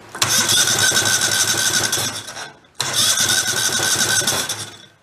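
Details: Used Kohler Command engine, failed and given away, plugs showing spark, spun over to check compression and listen for clunking: starter spins it in two even bursts with steady rhythmic chuffing, no clunks; compression sounds even and healthy.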